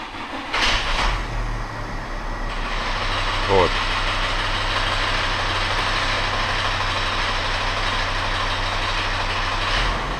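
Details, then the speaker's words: Volkswagen Crafter 2.5 CDI 100 kW diesel at idle: loose uneven knocking from belt-drive damper pulley, worse when turning steering, disappears with slightly more throttle as pulley centres. "Если мы даем чуть больше газу, он центруется и стук пропадает."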